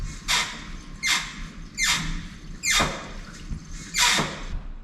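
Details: Lotus Elise, clutch pedal pressed in a quiet cabin: sharp, high, falling squeak about once a second with each stroke, coming from the dry clutch slave cylinder actuator rod and fork pivot on the transmission, not the pedal; fixed by greasing them.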